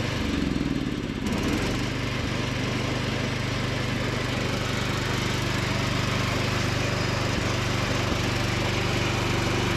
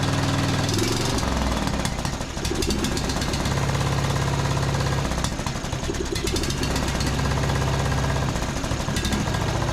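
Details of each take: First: Free John Deere D110 riding mower after repair and carb cleaning, driving with mowing deck engaged: steady, even drone with blades turning, takes load without hunting or stumbling; normal running under load. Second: John Deere D110 riding mower, brake set, after carb spray into main jet: engine chugs unevenly, stumbling about twice a second; misfire possibly due to spark plug only hand-threaded in, plug pulled and gapped.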